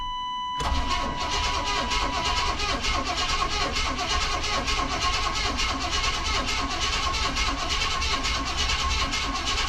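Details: 1994 Chevrolet K1500 Blazer, sitting 18 years, after new gas tank and fuel pump install, first start attempt: starter churns at a steady rapid beat for about eleven seconds without catching; fuel pressure likely not yet built.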